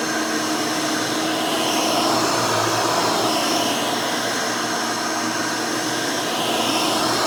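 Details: Rebuilt Hoover Elite 600 upright vacuum with new 7 amp motor and 20-blade fan running; smooth, steady high-pitched whir, no rattles or surging; runs evenly and fairly quietly, like the original 6 amp, healthy.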